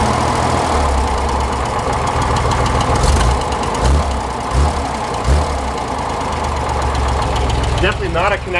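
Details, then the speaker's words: 1961 Corvair Lakewood wagon, 80 hp with Powerglide, new rings and valve job, original rod bearings, at hot idle: rapid loose erratic rattle over low beat, fine when cold; oil pressure flickers low hot. Suspected thrust bearing or loose part, unconfirmed. "it runs great when it's cold but as soon as it heats up it's got a rapid rapidy sound and sounds like something's swinging away inside loose oil pressure is a tiny bit on the low side"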